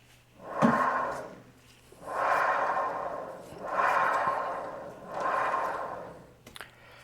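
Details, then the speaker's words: CVT belt transmission: rough whooshing hum with a steady ringing note rising and fading each time the rear wheel is turned with the engine off; a very strong noise from the gearbox, worn bearing. "Słyszeliście przekładnia strasznie szumi Strasznie to jest bardzo mocny szum"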